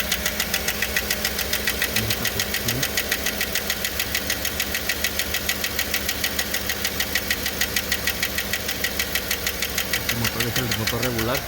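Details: 2008 5.3 V8, started fully cold, oil pressure 40: sharp, even ticking about three a second over a steady idle on one bank, where the head was later opened; lifter tick, a common problem on these engines.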